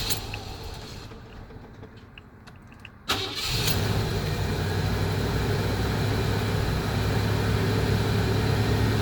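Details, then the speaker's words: Older van after third starter solenoid replacement, ignition held on to let fuel pump prime: after a pause it fires at once and settles into smooth steady idle; normal start. "I just want to give you that story and let you know that it will start fine"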